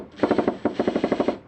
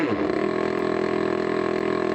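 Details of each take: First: New Makita DHP481Z/XPH07 combi drill set to drill or driver mode: sharp rapid blows, about twelve a second in short bursts, same as hammer mode; hammer mechanism not disengaging, apparently a factory fault. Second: Makita DHP481Z (XPH07) combi drill, brand new, in screw mode with no pressure: smooth, steady motor whine, no hammering, clean rise in pitch on restart. Normal run, though this unit's faulty hammer engages whenever pressure is applied.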